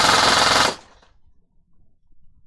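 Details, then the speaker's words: Airsoft AEG with T238 budget 28K brushless motor on full auto: a crisp, even burst of 21.4 rounds per second with no stutter or drag. Clean cycling. "21.4 rounds a second. Impressive. Yeah, that's a decent jump."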